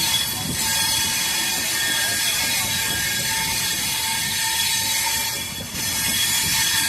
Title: BSBS-DDN Janta Express (15119) | Dilkusha Curv with Grinding Noise with WAP7 and LHB Coaches